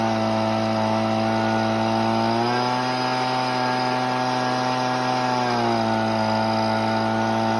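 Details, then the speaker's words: Husqvarna 125B two-stroke at full throttle while adjusting high-speed screw: pitch drops and burbles unevenly when turned a quarter left (rich, four-stroking), then clears to clean scream when turned right. "I'll turn it quarter turn to left you'll hear it four stroke I'll turn it quarter turn to the right you'll hear the four stroke and go away"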